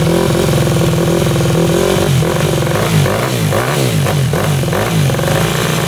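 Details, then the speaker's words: 2001 Yamaha WR250F street-legal dirt bike, rebuilt, hard to kick over: single-cylinder fires on the kickstart, thumps unevenly and dies; earlier bump-started and ran, possibly lean; won't restart even with hot start; owner suspects valves not seating. "all right she fired up with kickart a just stopped what the heck"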